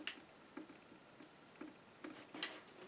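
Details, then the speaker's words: MacBook Pro trackpad clicking cleanly after a swollen battery pressing on it, the cause of the trackpad failure, was found; light crisp ticks with each press. "can you hear it it's clicking clicking where it's supposed to"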